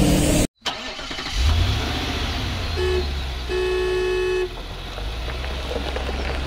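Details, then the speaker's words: Suzuki Carry 1.0 that died suddenly while driving: the starter spins the engine at a steady rate for several seconds but it never catches; crank no start. "ya ini lagi saya coba starter ya kita coba starter nah ini enggak mau hidup Hai mesinnya"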